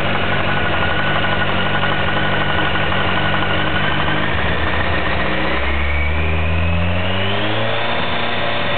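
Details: 2007 Kawasaki ZX-14 with 500 miles, stock bottom end: smooth idle then a rev climbing and falling with a faint uneven knock underneath; owner suspects rod knock, dealer calls it normal for the model; unproven.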